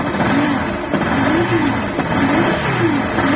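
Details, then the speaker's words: Motorcycle engine revved with a wavering, bearing-like whine, like a bad clutch bearing; disconnecting the stator connector stops it and reconnecting brings it back, so it is stator (charging system) noise, not internal engine. "Desconecta aí o conector do estator, vai. Cadê o barulho, pessoal? Vou botar de novo aqui, ó. Ó, voltou o barulho,"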